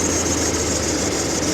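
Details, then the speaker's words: 2020 Ford Expedition 3.5 twin turbo, about 224,844 miles, after a no-start and cold start with rattle and known cam phaser problems; rough idle with a steady high-pitched squeal over it; accessory belt squealing. "The belt squeal. Oh, this thing sounds terrible. Like everything's making noises."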